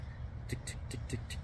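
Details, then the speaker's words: 2011 Jeep Grand Cherokee Hemi, warm after running 30-45 minutes: light, even ticking about five times a second over a steady low idle; typical Hemi lifter tick, needs lifters at least and possibly the camshaft. "yeah sounds like it's got the typical Hemi lifter tick it's gonna probably need can uh camshaft uh uh cams maybe sometimes you can save the camshaft but at least at least uh lifters for sure"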